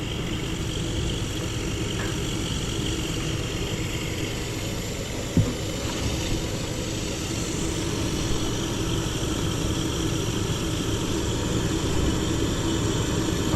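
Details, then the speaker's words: Gas furnace with no heat on a cold morning, restart attempt: draft inducer motor starts with a steady, even low hum, no scraping or wobble, before hot surface igniter lights; normal draft inducer operation. "okay draft motor just started"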